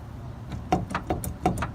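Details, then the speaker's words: Nissan 240SX (S13/S14) jacked up with the front wheel off and the wheel rocked by hand; sharp metallic clunks, about seven in just over a second, reveal excessive play in the worn front wheel bearing, which is due for replacement. "basically it this thing has so much [ __ ] play in it so I mean that's how that's how you know they're bad"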